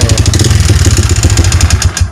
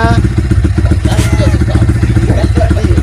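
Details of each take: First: Yamaha Vixion idling with oil nearly empty after a leaking clutch-cover gasket drained it: loud, rough, uneven low thumping with a clattery edge; piston-to-cylinder clearance worn from oil starvation, fixed by replacing piston and block. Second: Yamaha Vixion after the piston and cylinder block were replaced, worn from clearance after oil starvation caused by a leaking clutch cover gasket; steady, even single-cylinder idle thump with no knock, sounding like new.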